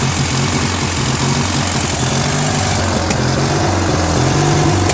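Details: Free trash-find Briggs & Stratton 16HP opposed-twin on a Murray Ultra garden tractor, stuck valve freed, engine flushed, replacement carb fitted, started on full choke: uneven idle that rises and sags slightly, surging; carburetor idle screw needs adjusting.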